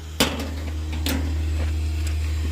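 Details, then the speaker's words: New R-410A AC installation replacing failed R22 unit, after soap leak check showing no leaks: vacuum pump pulling vacuum with steady low drone and a few handling knocks; normal operation. "We're going to go put the vacuum on. And there we are pulling a vacuum."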